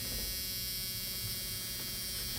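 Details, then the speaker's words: Ford Ranger, key on, with an electric fuel pump and electric choke newly wired into an added 12 V fuse block: a steady high-pitched electric buzz with no surging. The fuel pump runs normally, and the choke comes on after it. "don't know if you can hear it, but every time you turn the key, it comes on, and then the choke goes on."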